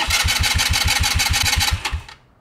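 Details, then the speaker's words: Scooter electric start test with the brake lever held and the start button pressed: steady, even, strong cranking at about six chugs a second, then it stops; the starter motor and circuit are working fine, so the problem lies elsewhere. "electric start system is working just fine you have a different problem now that we've got that out of the way we can start testing components"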